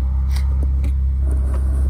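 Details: Honda Fit first-generation with L15B7 1.5 VTEC Turbo swap, KTuner-modified ECU, Hasport mounts, first running: deep even low rumble at steady idle, no misses or knocks; normal idle.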